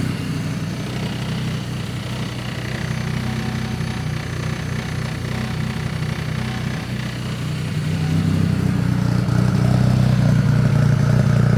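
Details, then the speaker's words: Engine idling during its first start-up before a full base tune: steady idle with fast, slightly uneven low puffing that thickens toward the end; an exhaust leak is suspected ahead of the O2 sensor. "You gotta find out where that exhaust leak is because that's before the O2 sensor. Oh, it's before the O2 sensor? Yeah. Okay, he thinks there's an exhaust leak before the O2 sensor."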